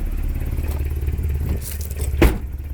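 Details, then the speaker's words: 1990 Toyota Pickup/Hilux 22RE after reassembly, now starting right up, before timing adjustment: slow, low-pitched idle with a soft steady throb and one loose clatter; owner thinks idle speed is too low. "because i feel like this is a pretty low idle from what i understand"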